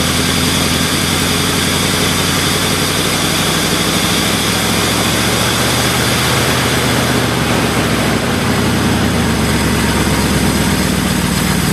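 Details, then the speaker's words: 1978 Ford LTD just started at about -10°F after two days of trying, jump-started from a Buick: steady, dense but busy uneven idle of a freezing engine warming up. "there we go finally started definitely a cold start I'm glad I finally got it going now Gore is going to be so pissed oh well suppose we can take the jumper cables off and uh let this thing warm up a bit"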